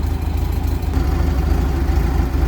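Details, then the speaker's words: 1978 VW Super Beetle with L-Jetronic fuel injection, just started and still cold; low uneven thumping, stumbling idle, owner suspects rich mixture and sees timing way advanced: lumpy idle. "I just fired it up. She's a little lumpy. I got a suspicion she may be a little rich."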